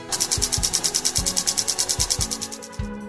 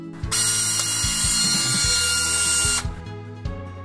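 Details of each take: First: Canon 6D Mark II that hummed at power-on from worn shutter drive gears: after replacing and lubricating the gears, crisp, even shutter clicks fire in a rapid burst, seven or eight a second, with no grinding or extra sound. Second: Canon 6D Mark II buzzing at power-on, sometimes even when switched off with the battery still in: a loud, harsh electric buzz with thin high tones, caused by the shutter drive.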